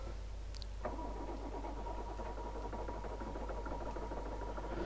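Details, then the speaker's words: Poclain 90B excavator diesel after refuelling and bleeding the low-pressure fuel system, with injector pipes cracked open to bleed the high-pressure side: starts after some cranking into an uneven, lumpy beat, running on only a couple of cylinders from air in the fuel lines. "it required a bit of cranking but not that bad land started started running on a couple of cylinders at least"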